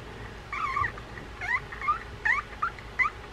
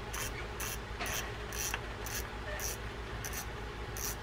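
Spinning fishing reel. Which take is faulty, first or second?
first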